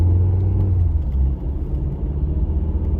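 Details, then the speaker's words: 2019 Ford Fiesta at about 50 mph: low steady hum under the road rumble, present only around that speed. The noise stops when swerving right and stays when swerving left. Worn rear wheel bearing, to be replaced with a new hub assembly. "we're at 50, and you can hear like a little bit of a humming noise, kind of."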